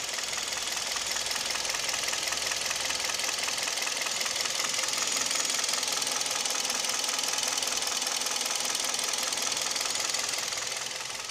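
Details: Kia G4KD (Hyundai/Kia Theta II) engine at idle with extra load from A/C compressor clutch and mirror, window, seat heaters switched on: fast, fairly even light ticking, piston knock, with vibration; knock also at 1500 rpm and when pulling away.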